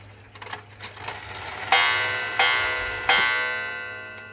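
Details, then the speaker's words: Clock with Waterbury Clock Company movement stamped Seth Thomas, worn bushings, fitted with a replacement gong from another old clock after the rusty original sounded horrible: three clear gong strokes about a second apart, ringing cleanly, a normal strike. "And here it is, back to as normal as it can get."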